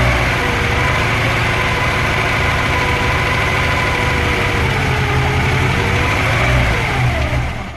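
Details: VAZ-2103 engine knock: fast, fairly regular metallic knocking over the idle that follows engine speed; first suspected a loosened valve, but teardown revealed another cause, not stated.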